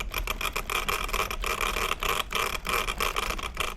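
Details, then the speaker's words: Arrma 1/8 Talion 6S 4WD BLX truggy with loose-fitting dogbones. Rapid, uneven bursts of clattering rattle come as the pieces shift with play. The noise can be prevented by fitting cut nitro fuel tubing pieces. "So the noise you're hearing is all those pieces keep moving, and all this noise can be prevented."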